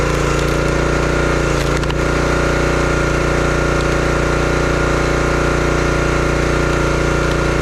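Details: Brute 30-ton log splitter, Briggs & Stratton engine (9.5 ft-lb gross torque, roughly 5–6 hp), brought in as a no-start: steady, even single-cylinder beat under load splitting wood, no surging or missing; running healthy, though power seemed modest.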